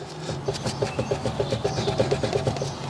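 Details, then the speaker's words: BMW 130i rear wheel raised and rocked by hand, gripped top and bottom with handbrake off, gives quick light knocks from play. The whole wheel moves, no bush play seen, and wheel bearing is suspected. "it's moving back and forth, and there's a audible knock there. Now, does this indicate wheel bearing, or is it a ball joint?"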